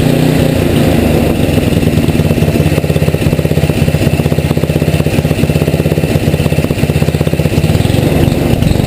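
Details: Tecumseh HM80 single-cylinder engine, relatively warm, choke off, idling after carburetor idle-needle adjustment: steady, even beat of about four per second with no hunting or misses; needle one full turn out was right, idle mixture correct.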